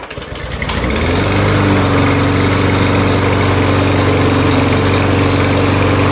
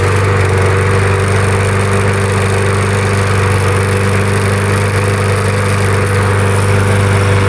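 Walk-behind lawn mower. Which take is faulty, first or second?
second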